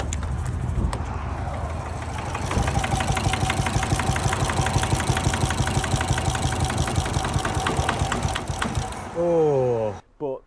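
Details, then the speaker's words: Vauxhall Astra H van, 1.9 Z19DTH diesel converted from 1.7, after engine failure: starter spins it quick and light, about three even beats a second with no compression drag; owner suspects snapped rockers, cam belt intact. "What I do think has happened is the rockers under here have snapped. That's what I think has happened."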